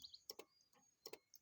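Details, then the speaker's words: 2001 Pontiac Firebird, key on while rewiring a window switch: pairs of sharp clicks about every three-quarters of a second as relays chatter from a dead battery. "nothing this thing is tripping out look at that we're gonna go ahead and fix that problem right now before we even get started because i'm not gonna deal with all that ticking and thumping and all that crap"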